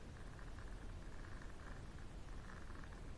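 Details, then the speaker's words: NOEBY JG2500 slow jigging reel: faint, irregular scratchy clicking bursts when cranking the handle, with too much play in the parts; the pinion gear disengaging and re-engaging via the clutch is suspected, not confirmed. "another problem is it makes sounds when you prank it okay if you hear it"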